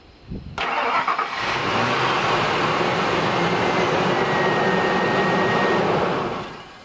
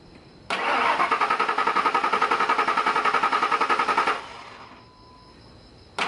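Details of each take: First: 2001 Ford Expedition 4.6L Triton V8 with the original Ford-programmed chip key, after the light goes off. The engine catches promptly after a short crank and settles into a steady, even idle; it starts normally. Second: 2001 Ford Expedition 4.6L Triton V8 with a poorly reprogrammed Walmart spare chip key: even cranking, about 3.5 turns/s for roughly three seconds, with no firing, because the immobilizer does not recognize the key.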